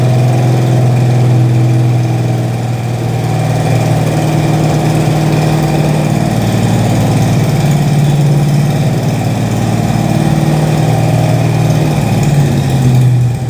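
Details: 1968 Mustang Fastback 351W, run after 25 years, cam bedded in, warmed up, after fitting missing torque converter-to-flexplate nuts that caused chatter: deep even V8 burble swelling slightly with light throttle, no chatter or ticking — normal idle.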